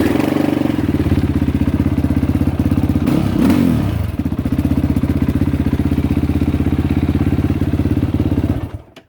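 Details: Yamaha YFZ450R quad (2022 per owner), test fire after fuel pump replacement: steady single-cylinder thump at about four beats a second, even and clean with no misses; idling healthy.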